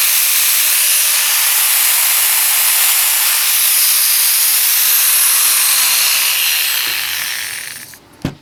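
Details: Bosch 4-inch angle grinder after replacing the worn bevel gear: a smooth, steady high whir with no grinding or rattle, then an even spin-down. The grinder's gears run normally after the repair.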